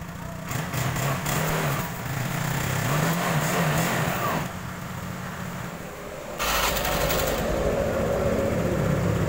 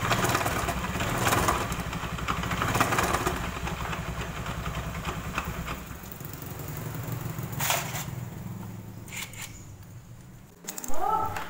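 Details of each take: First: Honda Beat automatic scooter after replacing the drive belt and crankshaft seal, which cured a diesel-like clatter: idles and revs with an even, steady drone and no knock, running smoothly. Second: Honda Beat automatic scooter making a diesel-like klotok sound: dull, loose knock about three to four per second over the running engine, seeming to come from the drive side; CVT suspected, not confirmed.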